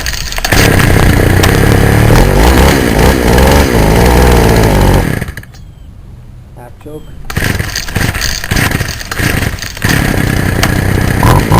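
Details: Warm Poulan Wild Thing chainsaw two-stroke on half choke revs unevenly, rising and sagging without a clean steady note, then drops to a stumbling idle before carburetor adjustment; owner suspects it needs a compression ring and carburetor kit: rough running.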